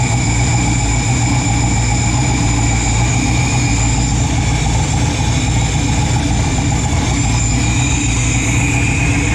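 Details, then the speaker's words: Freshly built 408 stroker LS in an S10, first start in park on a new tune: loud deep steady rumble with no rev changes, idle sitting low; wideband O2 acting up, cause not yet pinned down. "yeah that's not good air fuel ratio is crazy good RPM D that's low okay I just shut this thing down"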